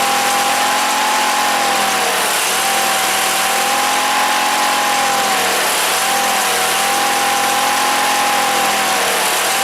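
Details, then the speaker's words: Wheel Horse GT-1800 Workhorse rider with Briggs engine, after fuel pump repair: idle rising and falling about every two seconds, runs only on choke and dies if choke opened; carburetor not drawing enough fuel. "she's idling. But you see where that choke is at? That's because the carburetor's not sucking enough fuel in."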